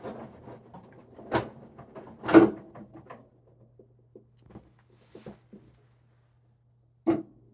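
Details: Whirlpool WFW92HEFC0 front-load washer, top removed: quiet hum with a few separate heavy knocking thumps as the drum stops rotating; cause unknown.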